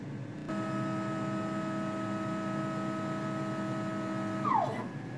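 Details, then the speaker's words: CNC Z-axis stepper motor, which grinds on acceleration and deceleration, removed and run on the X-axis driver and circuit. Clean, steady hum with no grating and a smooth slowdown, so the motor and pigtail are judged good; the cable, connection or drive are now suspected. "so quite a lot different so I think that validates that the motor is good"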